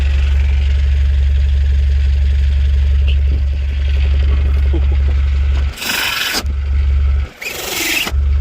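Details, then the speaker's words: Citroen Berlingo at idle, heard at the rear back box after the down pipe and front pipe were replaced: deep, even rumble with no puffing or ticking, and no gases escaping; the exhaust is solidly fitted and sealed. "You want to do that, I can't hear any gases. That's a solid fitted exhaust."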